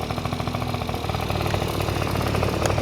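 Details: Honda Dio two-stroke scooter after cleaning oil flooding from a leaking oil pump and fitting a DIY gravity-feed fuel tank in place of the failed fuel pump: fast, even popping idle, steady beat, no misses or rattle; healthy.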